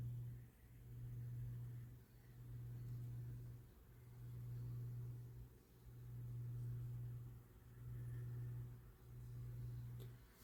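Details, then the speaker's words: Lasko 9" desk fan model 2154 (1988–89) on low with oscillation, after an extra washer was added to reduce play: motor hum swells and dips, dragging once per sweep at a tight spot in the oscillation gears. "this is where the tight spot was it just passed at so once that um this little gear pops up that's where you the tight spot is and that is where the fan has the most hard time struggling"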